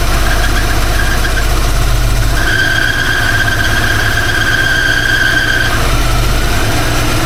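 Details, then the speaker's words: Small-block Ford 302 idling after new Cardone distributor install: uneven low throb with a steady high squeal for a few seconds; runs rough, cause unclear. "All right, it's running. Running rough, but she's running. I feel like something's not right."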